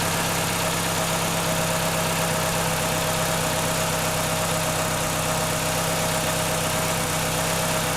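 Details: 1996 Chevrolet Cavalier 2.2 started after water pump replacement and coolant refill, with a little steam from spilled fluid: constant, even idle hum with a steady low drone and no knocking or misses; normal idle.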